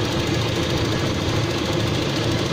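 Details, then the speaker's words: Toyota Kijang Kapsul at idle, engine otherwise fairly smooth. A light, quick, even tapping rides over the engine note; owner suspects it is only the valve clearance adjustment. "jadi cukup halus kali ini mesinnya cuman itu sih kayaknya sepertinya peletnya saja sih setelan klep nya saja gitu ya"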